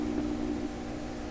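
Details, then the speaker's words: 1928 RCA Victor Model 28V tube radio warming up: hum level rises with faint crackling, then crackle and hum drop away together, suggesting they are related; crackle long attributed to a slowly heating tube, cause unconfirmed. "The hum level was up a bit, crackling, and then the crackle went away and the hum dropped simultaneously. Kind of suggests the hum and the crackle are related, like they're brother and sister."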